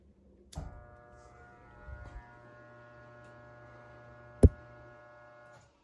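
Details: Fifth-wheel camper rooftop air conditioner rebuilt with used parts and new capacitors, fan switched on: steady electrical hum for about five seconds with no spin-up; blower motor energized but not starting. Compressor and charge untested.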